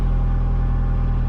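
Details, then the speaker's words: Mitsubishi Galant VR4 turbo, prepped for a smog test, idling after start-up with a turbo timer fitted and the air-fuel ratio reading 14.7; smooth, even low idle with a deep rumble, no knocks or misses. "let's fire it up um okay Fire's up runs fine check engine light should go away"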